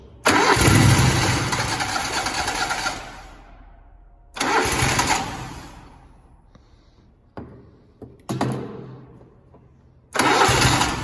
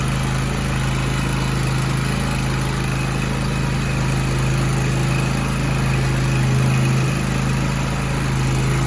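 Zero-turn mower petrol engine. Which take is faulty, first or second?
first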